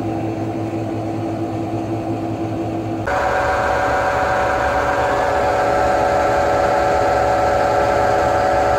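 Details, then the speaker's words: Hotpoint washing machine after replacing completely failed drum bearings (drum cut open, resealed with CT1 and bolts): smooth, even drum hum stepping up in speed, no rumble or grinding; much quieter, normal spin. "lovely by no means perfect but she's a hell of a lot quieter oh well 20 sure as hell beats 500"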